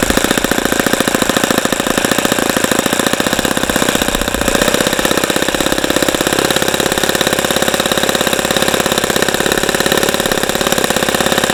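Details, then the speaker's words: ASP FS65 four-stroke glow engine on test stand, 29°F day, APC 12x6 prop, OS F plug, 5% nitro fuel, started with much lighter fluid, warmed to 78°: fast, steady rattling beat with no stumbles; normal running. "okay so that was a that was a good run once we got the engine started but this engine took a lot a lot"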